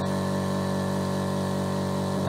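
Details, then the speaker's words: Mollar AC1550BP-R Black Panther 50 L oilless compressor (1 HP, 2,850 rpm, 8 bar max) filling, about 1 minute in near 4 bar: constant even hum, no rattles or surging; measured 70 dB versus claimed 68 dB; normal running. "Nah, dia berada di 70 desibel. Jadi real ya teman-teman. Kalau di klaimnya kan dia 68 desibel ya."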